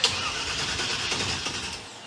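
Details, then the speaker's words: 1963 Chevy Impala rat rod with big-block Chevy V8 and replaced starter: starter spins briskly but engine never fires; possibly no gas in the car, later found not squirting fuel and primed, then ran smoothly. "Any gas yet? Do we know that there's any gas in the car? Uh yeah, there might not be any gas in this. Probably no."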